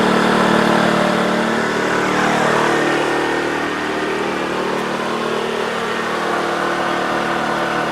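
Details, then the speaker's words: TACKLIFE 1800 W (2250 W surge) inverter generator, new, first start: quiet, even low-speed hum with a soft steady pulse, idling smoothly in eco mode; normal. "that's eco mode. That's if you're just trying to run a couple of DC things. Then it's really quiet."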